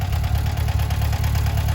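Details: 1978 VW Bus 2.0L flat-four, converted from fuel injection to carburetor with new carb kit; even, low thrumming idle with steady regular pulse, no knocks or ticks; normal healthy idle before first drive since 2009.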